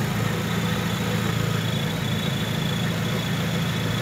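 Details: 2001 Chevrolet Grand Vitara 2.0 after replacing a faulty crankshaft position sensor that caused crank-no-start with no spark: smooth even idle, steady low hum, no misses or stumbles; running healthy.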